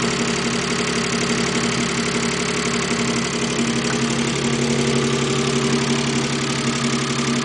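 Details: Mazda K8 engine after removing left camshafts to change a retainer, belt believed timed right and tensioner fine: steady idle with loud, fairly regular knock about four per second; internal knocking, cause not pinned down.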